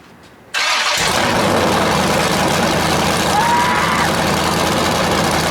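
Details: First start of a 408 LS stroker after installing and setting up the ECU: silence, then the V8 catches instantly and holds a loud, steady, slightly lumpy idle. Air-fuel reads about 13.3 and may be a touch lean.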